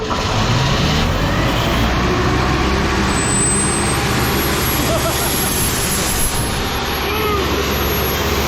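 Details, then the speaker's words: Old Sullair 185 gas compressor now running on its own tank, ignition wires joined by hand; steady, even drone at constant speed with no misses, surging or knocks, outdoors. "wow sweet that's nice what do you guys think you think I got a good deal"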